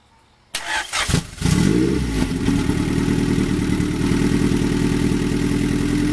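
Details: Honda Prelude F20B just fitted with a new Precision 6266 turbo and downpipe, first start: quick crank and catch, then a steady, even idle with no misses or rattles, starting and running cleanly.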